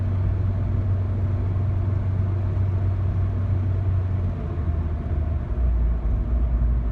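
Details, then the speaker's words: 2006-2011 Honda Civic 1.8L: a deep, steady low drone at idle with normal rpm and no misfire, heard and felt as vibration in the cabin toward the passenger side. The right engine mount is suspected. "it's more of like a low rumbling noise in the car I can hear from inside the cabin and towards the right side somewhere where the engine would be"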